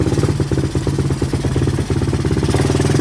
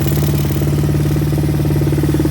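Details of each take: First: 1986 Honda TRX200SX single-cylinder quad, neglected, newly revived, running on reserve fuel: blips up, then settles to a quick steady beat clearly faster than normal; idle set too high and needs turning down. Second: 1986 Honda TRX200SX quad, revived after neglect, idle set up high: steady single-cylinder putter with no misses or surging; air filter rotted, parts to be ordered.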